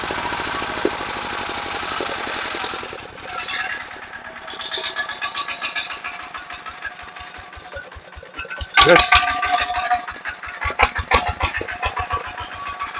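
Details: Water pump's small single-cylinder 11.25 engine after repair: damaged regulator gear repaired, neglected oil changed, pipe renewed; steady even beat at roughly three firings a second, no knocks or misses; running cleanly.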